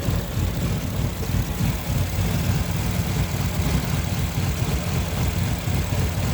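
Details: 2015 Infiniti QX60 idling with coils pulled from cylinders 2, 4 and 6 in turn: low, uneven, lumpy stumbling idle with no steady rhythm; rough idle, misfire not isolated.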